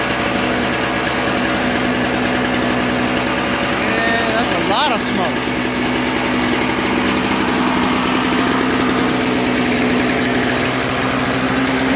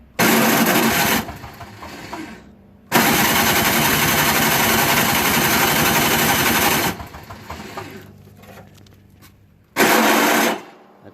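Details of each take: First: Toro Snow Commander 38602 single-stage snowblower after carburetor cleaning, fuel lines and tank drained of bad gas, new primer bulb: small single-cylinder engine holding steady even idle with no surging, hunting or misses; normal idle. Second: Toro Snow Commander 38602 single-stage snowblower, electric start via extension cord: harsh grinding bursts with no catch each time the starter is hit. Stripped starter motor gear; it also had very bad old gas.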